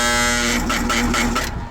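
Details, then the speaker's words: HVAC unit on a no-heat call, previously tampered with (Y wires disconnected, common jumpered): a loud, steady electrical hum with no spin-up for about a second and a half, then it drops out. Compressor draws 62 amps against a 62.9 rating; locked rotor, compressor change likely. "I think I just heard it try to come on dog girl I don't think this compressor is running [Music] compressor's not running let's see the amp draw when this thing tries to come off"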